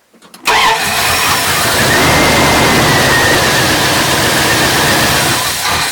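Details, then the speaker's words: Old lunch truck engine on cold start with choke after oil change and new spark plugs: catches after short crank, busy slightly uneven stumbly run, may stall; owner suspects slightly lean, not yet off choke. "It's a little stumbly, but it sounds like it's starting to come around, or it's going to stall."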